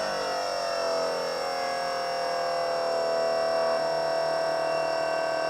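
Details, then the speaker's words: MB electric hydraulic power steering pump on a budget time attack Honda Civic, just switched on with key in run: constant high electric whine holding one pitch, no grinding, surging or rattles; normal pump operation. "so we have it in run right now the pump is not on but if i turn this on there we go the pump's running"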